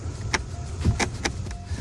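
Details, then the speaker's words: Changan Uni-S / CS55 Plus sunroof area: sharp, irregular clicks from the cabin ceiling over road bumps, with low road rumble. The headliner trim around the sunroof had come unclipped from the roof; the fix is to snap all its latches back in. "и во время движения может раздаваться щелкающий звук. Это был не столько скрип, сколько щелчок."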